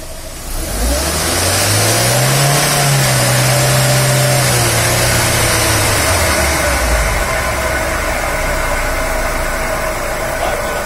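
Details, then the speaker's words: Audi A3 1.8 20v turbo, 180 hp, run at about 100 km/h, then shifted to neutral; a steady rolling roar from worn bearings at both wheels, like a skateboard. "Rolamento esse barulho aqui. Nas duas rodas. Faz aí. É o barulho de rolamento mesmo."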